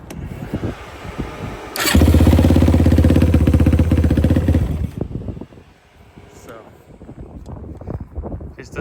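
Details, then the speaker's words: 2006 Yamaha YFZ450 quad, previous owner said it ran, aftermarket exhaust, carb not leaking: catches first try, settles into very loud even single-cylinder thump about four per second, no odd engine noises; starts easily, seems well jetted, runs healthy. "So, she does start it pretty nice and easy. It is pretty loud. It's got some kind of exhaust. This thing is crazy loud. Um, sounds pretty good though. I didn't see really I didn't hear any, you know, weird noises from the motor or anything."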